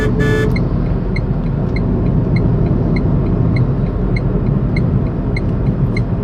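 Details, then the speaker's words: Tata Tigor BS6 three-cylinder petrol car heard in the cabin with AC on at fan speed two; steady low road and engine hum with soft even fan rush, nothing rattling, normal. "so i'm gonna turn on the ac now i'm keeping the ac speed in two so this is what the sound you'll get inside the car when the ac is turned on"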